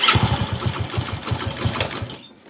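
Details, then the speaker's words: Hero HF Deluxe motorcycle (2017 self-start) idling with light busy metallic clatter over steady thumping: timing chain rattle, timing chain kit needs replacing; no self-motor noise. "Only जो आवाज है जो bike के timing चैन की आवाज है तो इसका टाइमिंग चैन किट भी चेंज होगा"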